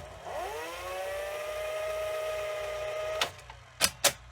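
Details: Sony SL-2710 Betamax VCR during rewind: the motor whine climbs quickly to an even pitch, then a few crisp clunks at the stop. A healthy rewind, though the machine is heavily used and may need lubrication.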